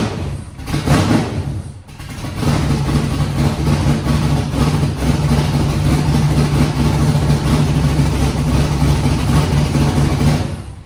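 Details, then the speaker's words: Foxbody Mustang 408 V8, Holley Terminator X wizard tune, first start after fuel pressure set: catches with a stumble, runs lumpy only held just off idle, won't idle on its own; next step is manually cracking the throttle blade open. "The thing cranked on its own, ran, so that's good. It would not idle without me feathering the throttle or holding the throttle open just a little bit."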